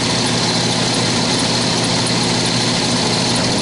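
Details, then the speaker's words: HVAC air handling unit blower motor, before replacement: loud rough steady whir with vibration and shaft wobbling from worn bushings/bearings. "i'm sure the video can't pick it up but it's definitely vibrating also i really can't see the shaft spinning there's a flat spot on it uh it may be jumping around a little bit it's really difficult to see"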